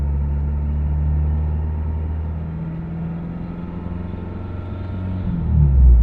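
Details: 2000 Mitsubishi Eclipse idling: low rumble with an uneven, wavering drone and a slight surge near the end; a strange engine sound of unknown cause.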